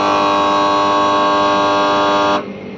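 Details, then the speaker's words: 2.5-ton AC outdoor unit, contactor pushed in: steady electrical buzz for about two seconds, then cutoff with no motor spin-up; the compressor fails to start, and its wire was found burnt. "मैंने आगे का full body open कर दिया है और मैं पहले ही आपको बोला था अगर इसका वायर जला होगा कंप्रेसर का तो ऐसे प्रॉब्लम हो सकता है आप देख पा रहे होंगे यह वायर जल गया है"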